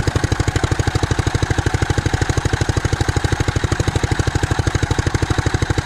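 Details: Gas-powered Columbia ParCar golf cart that sat for years, running on a new temporary fuel pickup tube after the clogged filter was discarded; fast, fairly steady exhaust pulses with slight unevenness; rough running, carburetor issues suspected.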